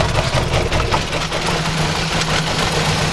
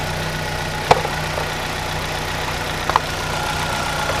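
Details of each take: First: 2010 Chevy Aveo 1.6 Ecotec petrol engine idling with misfires: steady airy hiss over a low hum from an internal PCV vacuum leak in the valve cover's integrated PCV system; fixed by replacing the valve cover. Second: 2010 Chevy Aveo 1.6 Ecotec after replacing valve cover with integrated PCV to fix vacuum leak and misfires; steady smooth idle, even low hum, no hiss or stumble, check engine lights gone; normal idle.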